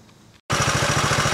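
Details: 1960s Honda CL90 single, battery recharged after earlier dying: starts after brief silence into an even, steady thump at idle with no misses; running fine, normal idle.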